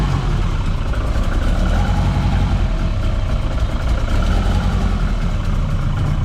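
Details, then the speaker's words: Turbo 3SGTE swapped into a TE27, first start of the new build, oil pump primed, no coolant in yet; steady, even, quiet low idle with no knocks, misses or ticks: normal idle. "It fires up under its own power. It sounds good."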